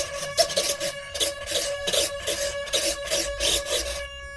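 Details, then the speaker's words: Bee 490 FPV flying wing with VOTIK 7350 5 g digital servos, powered up on a flat battery with no motor running: a thin pulsing high buzz over a steady tone. This is normal digital servo holding noise and everything works. "because it's digital servos. But it all works, and we have got some power."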